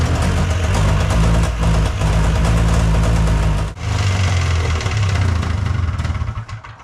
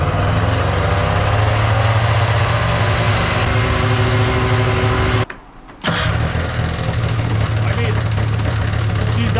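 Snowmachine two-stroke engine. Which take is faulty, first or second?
first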